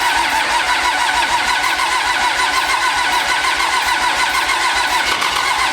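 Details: Pro street truck on first start after a Motec M141 install: loud, busy running just after start with an uneven chopping beat near three per second; running rough, suspected initialization table error in the ECU.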